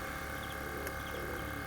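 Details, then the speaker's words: BMW 530d Touring rear air suspension after repairing the compressor, car just lowered off jack stands: quiet, steady whirring hum with a faint higher whine as the compressor pumps up the rear; normal air suspension compressor operation. "and here it is um after that had been done and i'd released it off the uh off the jack stands and you can hear it begin to inflate"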